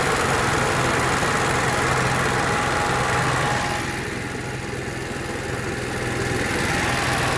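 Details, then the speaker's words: Onan Marquis Gold 5500 generator after carburetor cleaning and mixture adjustment, no parts replaced; steady, even drone with constant pitch and no surging or hunting; running smoothly and holding speed. "so now you can see we got a perfectly running good onan and with zero cost no parts at all just take it apart clean things adjust things make things and we're back on the road now you can too thanks for watching bye"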